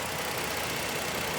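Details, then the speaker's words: 2020 Ford Explorer Police Interceptor, 3.3 L engine, 76,738 miles, collision damage: steady, even idle with a light hum and no ticks or knocks; engine running smoothly, though it overheated after 20–30 minutes of running. "Engine sounds good. It overheated after running for about 20 or 30 minutes."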